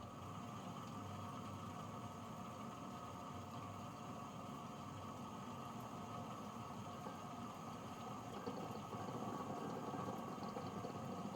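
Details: Rocket espresso machine (owner thinks the rotary-pump model) after a slow refill blamed on a possibly scaled or corroded tank level sensor: smooth even pump hum holding steady through the shot, no surging or rattles; brewing normally.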